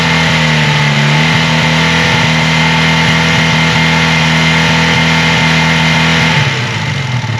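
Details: 1980 Honda CB400 T Hawk twin after restoration (carbs rebuilt, oil changed), first run on choke with fuel bottle; even steady idle, picks up cleanly when blipped, no misses or knocks: healthy engine.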